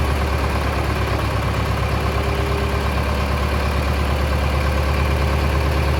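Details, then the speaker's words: Mid-1960s John Deere 3020 diesel tractor, about 477 hours, just restarted after sitting 5 years: even steady diesel clatter at idle, constant low beat, no hunting or misses; normal idle. "So, that's got us back up and running."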